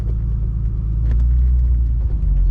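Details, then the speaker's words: Turbo-converted BMW 733i E23, warmed up on its first drive with fuel pressure now correct: deep, even idle with no misses, stumbles or knocks; it idles really well. "idling really well. And the fuel pressure is now appropriate."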